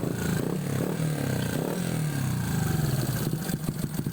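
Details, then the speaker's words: Honda XRM 125 fuel-injected single with a C5 head, after replacing the timing chain tensioner and correcting timing: steady idle picking up cleanly on a light blip, only faint valvetrain tick that is normally noisy on this head, no chain rattle; normal idle and light rev. "Ang tanging ingay na lang naririnig ko is yung cam. So medyo maingay talaga yung cam ng C5 head na to mga do. Rev konti. So goods na siya mga do. Wala nang ingay doon sa tensioner."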